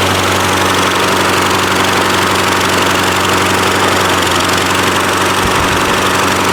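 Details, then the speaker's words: Craftsman push mower, Briggs 6.75 Quantum auto-choke engine, after winter storage: once muffler oil smoke burned off it chugs unevenly with a loping, lumpy beat as if on choke; choke flap found stuck closed, owner suspects storage varnish; primer-hole vacuum leak also suspected, carb swap fixed. "I let it run for a while and while it was still smoking it stopped smoking okay but then it started running like crap you know almost as if the choke was on"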